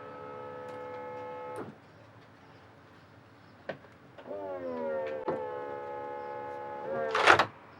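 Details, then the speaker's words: 2016 McLaren 650S, crashed and rebuilt, retractable hardtop tested after repair: electric roof motors hum evenly, pitch rising then steadying as panels move, ending with latch clunk; roof opens normally. "Roof open. How about that? It It works."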